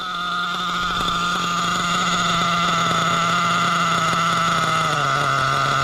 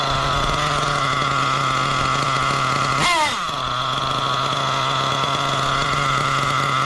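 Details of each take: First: Oh yeah, that's great. Listen to that. Dropped right back to an idle. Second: Nitro RC engine running a non-original carb, idle just lowered: high buzzing idle that sags and wavers, then dies with heavy smoke; low-speed needle still too rich.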